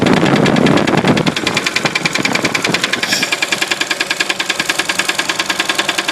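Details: 1966 Studebaker petrol engine running: quick, steady, sharp knocking over the idle, cause unknown.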